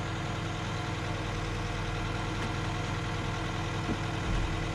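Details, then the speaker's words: Low, lumpy idle that never settles, with sharp intake pop, from a Toyota AE86 Levin first starting after a new fuel pump install; backfiring heavily, owner suspects spark or intermittent fuel, possibly the fuel filter. "gonna try one time up no it's all right it's like backfiring like crazy yep so i gotta check it out but at least we got the car started"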